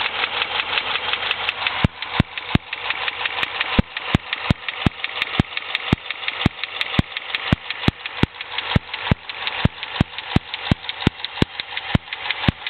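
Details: 2006 Dodge Charger SRT-8, top right of the engine viewed from the front: sharp, regular ticking about three times a second over steady idle, unchanged at any speed or revs; stuck top right lifter, confirmed when fixed.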